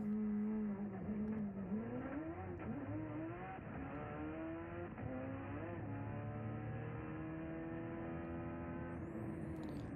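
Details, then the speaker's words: Evo 8 drag car on a Motec M1 during a quarter-mile pass: engine note climbs, then revs flare suddenly upward in fourth gear as the clutch slips under boost, shift lights flashing, handled by a throttle strategy until it hooks up. "all right so you kind of heard it blow loose you saw the shift lights come on for a second there in fourth gear"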